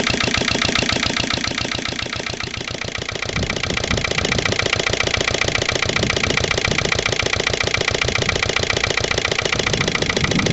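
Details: Lister LD1 single-cylinder diesel on a chilly morning (about 5–6°), after a fuel filter change, sump flush and bleeding. It runs slow and loud with an even thudding beat and still seems slightly off after two heavy loads. Owner suspects the injection system and a missed bleeding step.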